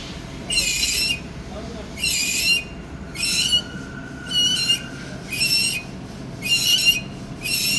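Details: Kia rear brakes: high scratchy squeal pulsing about once per wheel turn; rear brake squeal, cause suspected, not confirmed, later fixed.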